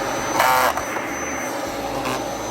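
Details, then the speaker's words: Dyson DC07/DC14 vacuum roar with a short gritty ratcheting burst while the brush roll is held stopped, after clutch replacement with a new clutch; normal clutch disengaging and slipping as designed. "That's a clutch of actually working. That grinding noise is the mechanism there When when the when the clutch gets stuck on something, it disengages. And that's what that grinding noise is."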